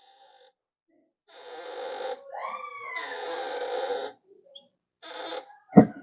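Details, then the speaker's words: Toyota Corolla clutch pedal gives drawn-out, groaning squeaks each time it is pressed, traced to the dry pedal-area dust boot/clutch mechanism; the planned fix is removing the boot and spraying penetrating lubricant. "ele tá fazendo um barulho na embreagem quando você pisa na embreagem"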